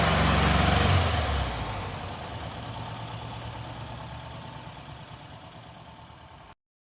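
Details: Freshly rebuilt VW Type 1 air-cooled flat-four from a Karmann Ghia, first start after hooking up the coil, not yet broken in; engine catches and runs with an even, steady beat of about four pulses a second, then quiets down; normal idle.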